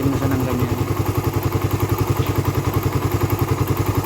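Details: Raider 150 carb single-cylinder motorcycle, hot idle; sharp regular tick about 3.5 per second over the thump, quiet when cold and appearing once warm; top-end tick, owner suspects compression release or tensioner, unconfirmed.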